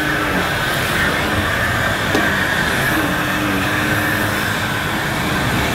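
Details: Electrolux 502 upright vacuum, about 40 years old, just unclogged and still needing a new belt, brushes and filters, pushed over carpet; a steady motor roar with constant brush hum, no rattles or labouring: normal running.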